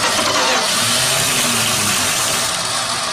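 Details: 1978 Dodge D100 truck revived after sitting almost 20 years, out of gear, with spark confirmed and fuel poured in: loud fast cranking with ragged half-catches that never build into a run; it nearly fires but won't start.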